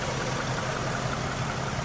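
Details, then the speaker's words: 2015 Mustang V6 with newly installed BBK stainless shorty headers, aftermarket intake, stock cats, X-pipe and mufflers, first start after install: steady even low idle with smooth rumble, no ticking or puffing; no exhaust leaks, normal idle. "all right so it doesn't sound too bad especially with that intake on it this v6 comes sounds very very good no exhaust leaks i don't hear any exhaust leaks which is perfect"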